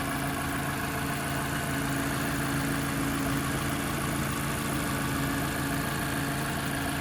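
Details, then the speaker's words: 2015 Mazda 6i Touring, 2.5 L naturally aspirated four-cylinder with automatic transmission, recorded in the engine compartment: steady, even idle hum with no knocks, ticks or misses; a smooth-running engine. "so as you guys can tell nice and smooth running engine we do have a 2.5 L naturally aspirated 4 cylinder equipped with a uh automatic transmission"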